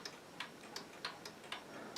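A wall clock ticks steadily and crisply, about three beats a second, a healthy running movement.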